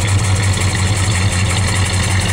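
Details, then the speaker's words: Plymouth Valiant, cold start at 35 degrees: a deep, steady but heavy idle with slight lumpiness. The choke still needs fine tuning and is running rich. "right she's running I still have to do some fine tuning on my choke it's still kind of Rich you hear the way it sounds there"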